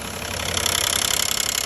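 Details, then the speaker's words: 2012 Nissan Maxima 3.5 L engine running strong: fast, light, even ticking that keeps pace with the engine; owner calls it a knock, later attributed to the intake bracket. "hello FKS I have a 2012 Maxim nois knocking whatever you call can name kind noising"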